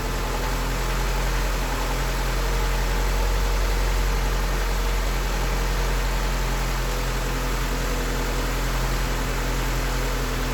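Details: 1988 Honda Accord after valve lash adjustment, idling before AC recharge, air-fuel reading 15.5 (slightly lean, possibly gauge): steady low drone with even beat, no stumbles or ticking, idle settling down; normal idle.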